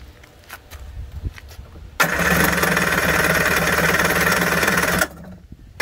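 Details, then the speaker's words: 1991 Kawasaki 550SX jet ski, first start after six years stored with fogging spray, choke on, no cooling water: silence, then engine catches and runs raggedly about three seconds before dying; firing on choke, not holding. "that was a good sign turn the choke off maybe a little more choke half choke"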